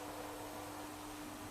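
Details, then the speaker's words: Induction hob after repair, glass refitted, zone tested with a pan on: quiet, even cooling-fan airflow hiss with a faint steady hum, no buzzing or clicking; drawing current and working normally. "Voilà, on entend la ventilation tourner. Donc là, vous pouvez constater la consommation de courant."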